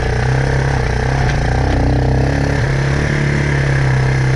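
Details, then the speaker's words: Four-wheeler with tunable Mikuni carburetor after stepping up the main jet toward 110–115: steady deep thrum with a slightly soft, lazy note and no misses; running a tad rich as intended, needle adjustment next. "think it's actually running just a tad bit rich now and that's exactly what I wanted"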